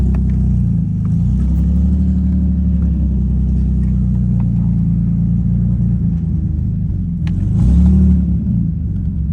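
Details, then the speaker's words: 2005 Nissan 350Z with VQ35HR swap, 69k miles, running for the first time since 2018 after coolant bleed and fluids topped off, weak-sounding fuel pump: steady, even low rumble with no stumbles or knocks and a brief throttle blip; normal idle. "running for the first time since 2018. It's now 2025."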